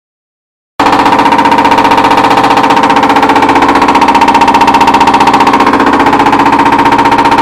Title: Whirlpool Duet makes loud knocking noise during spin cycle